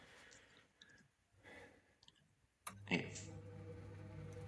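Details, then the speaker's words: Old Ferroli Optimax 25C combi boiler, previously no heating or hot water, after replacing a part: sharp click, then fan spins up to a steady even hum in its purge cycle; burner not yet firing. "it doesn't fire up but the fan kicks in as you can hear um it just go through its little cycle cuz it's an old boiler"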